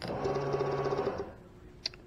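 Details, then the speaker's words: New EFI fuel pump for a Sniper EFI install on a 1987 Chevy El Camino, bench-tested before installation on ground and 12 volts: a steady, even buzzing whir for about a second, stopping cleanly. The pump works. "as you can hear it does work so I don't have to worry about whether I've got a bad pump right off the get-go"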